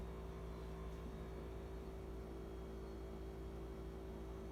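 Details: Whirlpool refrigerator bought before Thanksgiving 2019 with an excessively loud compressor hum that got worse after service: a constant low droning hum with a steady mid tone on top and no let-up.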